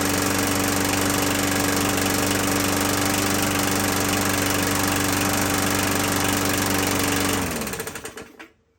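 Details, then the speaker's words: 21-inch Murray 125cc push mower: hard, uneven chuffing beat about four pulses a second, then dies; still rough; owner suspects something out of adjustment; oil later shows a metal sheen; cause unconfirmed. "let's try again see it still sounds to me like it's pretty rough"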